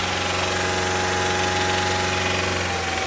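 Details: 2014 Subaru Forester with a replacement junkyard engine idles with a steady, hollow knock, piston slap that is worst on first cold start in the morning and improves as the oil warms; 208,000 miles; nothing can be done.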